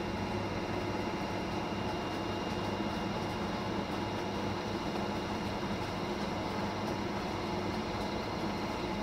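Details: Fisher & Paykel direct-drive top loader after replacing the main drive bearings (6005 2RS) and shaft seal, spinning up to speed. Steady even hum with no rumble, grinding or knocking: the new bearings run quiet.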